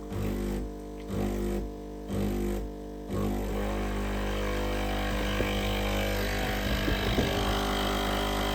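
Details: Breville coffee machine, tested after repairing no-water-coming-out fault (clogged), once warmed up: a few short pump pulses then steady even buzzing hum without surging; pump building pressure to the group head normally.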